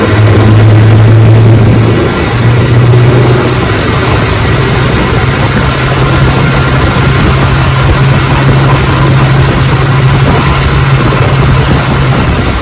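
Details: Fully restored 1958 Johnson 18 HP FD-12 outboard on a 14 ft Feathercraft, lake test at full throttle about 22 mph: steady high buzzing drone with no stumbles or misfires, running strong and clean; normal full-throttle running.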